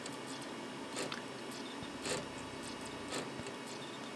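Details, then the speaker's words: Packard Bell Legend 204CD 486 PC, dual-speed CD-ROM drive clunking about once a second with faint whirring as it retries a fast-burned recorded CD (Myst) it cannot read; suspected slow drive, not confirmed. "You hear it clunking away in that drive. I may consider putting a faster drive in there at some point, so stuff like this doesn't happen again."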